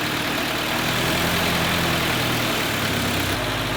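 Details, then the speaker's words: 1948 Willys Jeep four-cylinder cold start: it fires and keeps running with a slightly uneven, lumpy beat, not ready to idle until warmed up. A normal cold start. "She's just not ready to idle yet. Give it some of the good stuff, huh? Just let it warm up."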